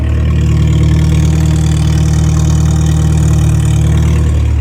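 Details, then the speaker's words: Morris Minor started after years off the road, new fuel pump ticking, choke partly in, still warming, exhaust only partly fitted, timing and mixture not yet set: deep, steady burble with an even beat, no miss or hunting; healthy idle. "so that's all we've got an ex so I haven't put the rear on Section on yet but with no timing or anything that is running like an absolute champ fuel pump's ticking away"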